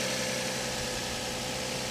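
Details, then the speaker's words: Copart auction car in Tulsa, engine idling; steady even idle hum over a faint hiss, no knocks or ticks, engine sounds okay but very dirty, no timing belt sticker seen; normal idle. "you got a gigantic battery but the engine sounds okay it's just really really dirty"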